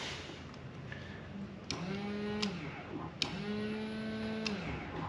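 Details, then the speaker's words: Fuel pump in the replacement tank of a Ford Fiesta being fitted with a Puma engine, bench-tested with no fuel in the tank: two short runs of rough, uneven low buzz with thin whine; owner thinks the pump has had it and will probably replace it. "well there's no fuel in it but you can definitely hear it buzzing over [Music] although it don't sound good there now I think the fuel pumps just had it"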